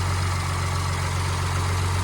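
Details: Humvee with a swapped-in Cummins diesel idling in the garage, oil pressure holding about 58 PSI at idle: a smooth, steady, deep even drone with no knocks or ticks, a healthy idle.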